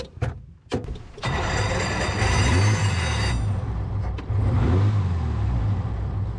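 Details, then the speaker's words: 1929 Bugatti cranked in neutral with the starter, which has worn flywheel teeth: the engine turns at a fair speed but unevenly, with a lumpy, labouring rhythm, less slow than before; rough starter cranking. "Yeah, >> it still hurts a little bit, but it's definitely not that slow."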